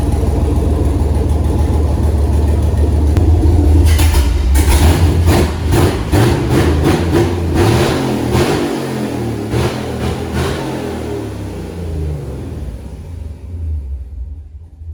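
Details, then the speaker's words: 2008 Silverado prerunner with Holley Terminator X Max ECU, after fixing a first-start problem: V8 fires, revs cleanly a few times and settles with an even beat, no knocks; normal running, ECU system confirmed working. "dang that's gonna do it for this week i'm super stoked to hear that motor run and now i know the computer systems all working good"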